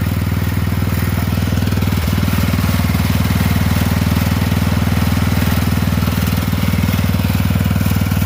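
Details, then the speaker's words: Poulan 12538 XT riding mower, 12.5 hp single-cylinder, 38-inch deck, final run after new carburetor fitted, brake on: steady thump at even fast idle, no misses, surging or knocks; repair done, normal running. "All right. So anyway, we got it fixed."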